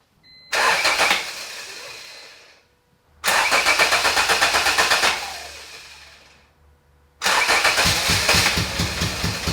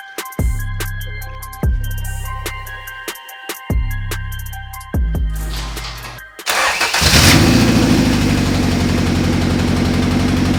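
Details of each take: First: 1988 Honda CRX Si with freshly swapped B18C Type R engine and transmission, first start; starter catches and the engine fires in three short bursts of rough, pulsing revs, each fading out; engine first start. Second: First start of a B18C Type R engine swapped into a 1988 CRX Si: several cranking bursts, then a lumpy, stumbling idle that sounds like knocking. It is a misfire.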